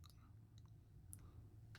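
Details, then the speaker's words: Smiths Everest PRS-25 watch deployant clasp squeezed shut: a few sharp, light clicks as the hook fails to catch and the clasp pops back open; fix is bending the hook with needle-nose pliers. "it's kind of popping back out but i'm squeezing it as tight as possible and i do have some movement on this it slides up and down pretty freely a couple inches or an inch at least"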